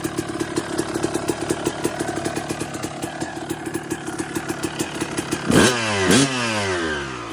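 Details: 2002 Suzuki RM250 two-stroke after full motor swap and rebuild, warm on its last heat cycle; idles with a steady crackling beat, then two quick clean throttle blips; sounds healthy and even, normal idle.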